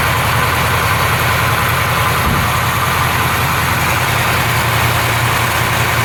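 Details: 1968 Camaro convertible V8 just cold-started on a February day, engine at 46–47°F: loud, steady low rumble with an even exhaust beat, no knocks or misses, no major oil or white smoke seen; healthy cold idle.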